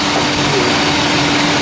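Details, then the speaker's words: 2007 Chrysler Town & Country with code P0480, idling with AC on: a steady, even rushing whoosh with a faint hum as both cooling fans spin normally. "Oh yeah, fans are spinning. That's it. That's an easy fix."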